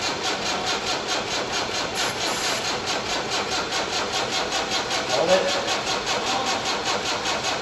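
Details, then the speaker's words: Diesel inline-four, just fired after priming and spraying into the intake: it catches and settles into an even, steady idle with a quick regular beat and no knocks or misses; a healthy diesel start. "It just fired. That's a good sounding diesel, too."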